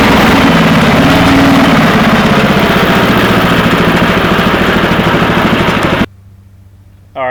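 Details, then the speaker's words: Cub Cadet 482 garden tractor with a replacement 11 hp Briggs & Stratton single-cylinder engine, original having failed, said to run fine; steady, even thump at constant speed with no misses or knocks, then shuts off cleanly: normal running. "this engine because the original one went out, and this engine runs fine. There's nothing wrong with it."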